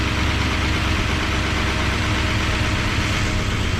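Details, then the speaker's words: 1973 Dodge Dart Sport V8 with dead-cylinder misfire, cold, first start after head removal, lower exhaust not connected: rough idle with light quick top-end tapping; hydraulic lifters not yet pumped back up despite being oiled. "might have to let the lifters get uh get pumped back up all the way i did i did have oil in them but they might need to let the engine run a little bit"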